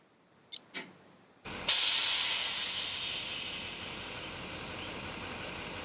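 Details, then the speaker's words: 2006 Chevy Duramax rear air suspension, release solenoid triggered via relay from CTS2 programmer switch: click then sharp hiss of air fading over seconds as bags vent and truck's rear drops; normal air release. "The other one will release air from the bags and drop the back of the truck down."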